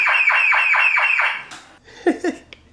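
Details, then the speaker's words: BMW E36 after a keyless entry fob install: a loud alarm siren warbles about four to five sweeps a second, then cuts off, showing the full alarm works. "love to see somebody try to steal this car I think it's loud that's a full-on alarm so I guess it works for that"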